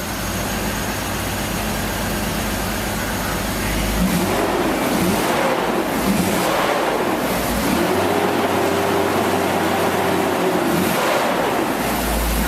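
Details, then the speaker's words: 2002 BMW 330Ci after fuel pump replacement: engine note climbs and holds through several strong revs, pulling cleanly and evenly each time; running normally after repair. "That car, you get it wound up, you definitely know you're winding it up. Yeah, you hear it."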